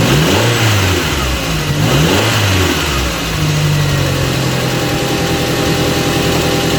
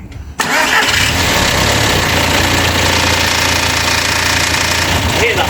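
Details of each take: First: Audi TT Mk1 1.8T Quattro 225bhp, 6-speed manual, after replacing a part to cure a big engine rattle at idle up to about 2,300 rpm: brief startup flare, then a smooth, even idle with a steady note and no rattle. Fixed, healthy idle. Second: Audi TT Mk1 1.8T quattro 225 bhp, 6-speed manual: busy metallic front clatter at idle, chain slapping timing cover as hydraulic tensioner is starved of oil pressure; rattle fades around 2,300 rpm or when revs blipped. Timing chain rattle.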